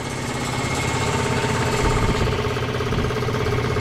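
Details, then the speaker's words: Free scrap electric air compressor's twin-cylinder pump chugs steadily with lots of air hissing out and nothing on the PSI gauge; it runs but isn't building pressure yet (later reached 30 PSI). "A lot of air blowing out of there. Nothing on the PSI gauge."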